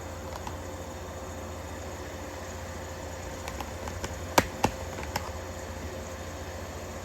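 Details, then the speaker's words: 1953 Fedders Weather Bureau window air conditioner with a Tecumseh S-series R12 1/3 hp compressor, after electrical upgrade and service. Steady low hum with a smooth fan rush and a few faint clicks. Normal compressor running. "Just listen to some nice Tecumseh S-Series noise for a minute or two while I go get the watt meter."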